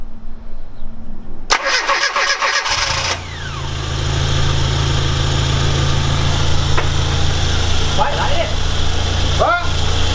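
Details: 1989 Classic Mini Mayfair, genuine 2,000 miles, right after exhaust replacement: catches after a short crank and settles into a steady, even idle with no puffing or ticking from the exhaust joints. Normal idle with no exhaust blows.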